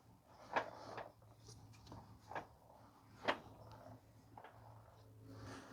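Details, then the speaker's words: 2013 Honda Odyssey with newly installed tires, driving: irregular dull thumps every second or two as the wheel turns, a broken piece tumbling loose inside the tire; van also shakes at highway speed. "I hear something that's broken uh inside the the tire here you can hear it it's basically the piece inside is going is uh is rolling down the road I don't know if you guys can hear that"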